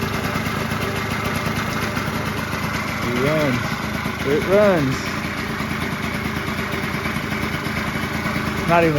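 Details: 1989 Yamaha Zuma 50cc two-stroke "Prebug" being built to 70cc, first start on direct fuel with the petcock removed; steady idle with a couple of quick throttle blips, firing evenly with no misses: normal idle.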